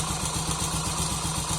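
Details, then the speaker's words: Honda Pop 100 single-cylinder at idle: steady idle with a quick, even tick-tack slap about eight times a second from a slack cam chain hitting the top of the engine; found on teardown. "Pronto, quando a corrente folga demais aqui, ela fica topando aqui em cima, tá vendo? Ó, ela tá topando aqui, por isso que ele faz aquele barulho. Um teco, teco, teco, porque ela tá topando aqui em cima."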